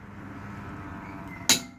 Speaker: So you've done your wheel nuts up finger tight, and you listen to this thing when it goes around. As it gets tight, it clicks.